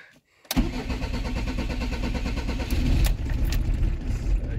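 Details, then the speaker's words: Camper van diesel after service and fuel filter change, bled, held slightly throttled: catches after short crank then runs rough and juddering with air still in fuel, then stalls; hard starting from air in fuel. "Ah, ça broute, ça broute, ça broute. Il y a un peu d'air, il y a un peu d'air. Ah, il a calé."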